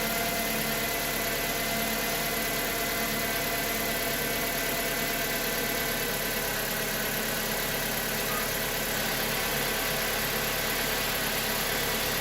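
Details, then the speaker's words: Chevrolet Aveo, F14D4 engine, cold start after sitting overnight, after replacing the oil pressure relief valve feeding the cam phasers to cure a brief start-up knock: steady, even idle with no phaser rattle; clean and healthy. "Доброе утро, ребята. Как и обещали, в машине теперь холодно. Оно простояло всю ночь."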